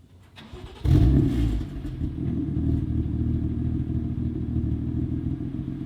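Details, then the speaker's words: 2017 BMW F80 M3 with Bootmod3 tune, exhaust/GTS roar settings coded for quiet stealth startup: short whoosh then low smooth idle, no flare or rattle; normal quiet cold start. "you want to hear the quietest F80 startup ever? Check this out."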